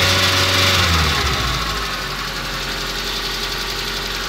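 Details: Nissan CA18DET turbo four at idle: steady fairly even knock about three per second; possible rod bearing failure, unconfirmed.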